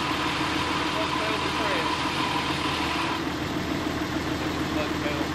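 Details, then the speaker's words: 2010 Dodge Cummins diesel with G56 transmission, newly installed Valair dual disc clutch, in neutral with pedal released: steady idle with light even clutch rattle; normal dual disc clutch rattle in neutral. "Because this is a dual disc clutch, so it is going to have some sound to it when you have the clutch pedal released, and the trucks in neutral."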